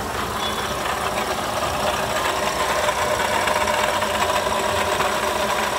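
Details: Toyota Sienta idling, rough gritty whirring at the front of the engine; oil pressure light off, so oil level ruled out; harsh noise dominant at the water pump, worn water pump bearing, replaced with a new water pump unit.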